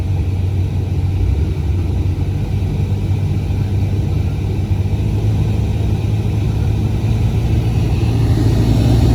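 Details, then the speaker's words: BMW 740Li F02 (2008–2015), A/C blower with blower box accessed, fan stepped up from slow: steady low drone louder at higher fan speed; noisy blower, to be opened to check for dust or leftover paper inside. "Laju speed dia, blower dia buat lah bunyi."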